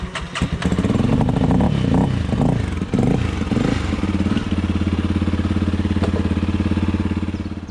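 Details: Honda CRF300 Rally after cam chain, tensioner and follower replacement (noise had appeared hot, on overrun at low revs): throttle blips then a steady, even single-cylinder thump at idle, no tapping or clatter; the noise is gone.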